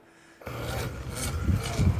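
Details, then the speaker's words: Older, modified Apollo bicycle with Gates Carbon Belt Drive, aftermarket tires and fenders, dusty and dirty: a rough, raspy buzzing grinding from the belt drive that grows as it turns; cause not confirmed, possibly dirt and grime or wheel alignment. "all right I hear the noise already it's a clear buzzing grinding sound"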